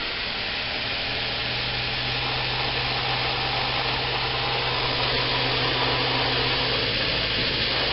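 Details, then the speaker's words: Homemade 2x72 belt grinder at half speed, sitting on a metal table without rubber feet: even belt hiss over steady motor hum, no knocking or rattle; runs very smooth. "And this is just sitting on a metal table. There's no rubber feet or anything like that. And it is very smooth."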